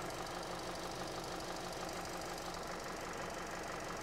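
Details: Petrol engine, possibly a Hyundai, idling with an uneven stumbling beat; misfire, secondary ignition pattern shows no burn line on one cylinder, spark plug fires then goes out.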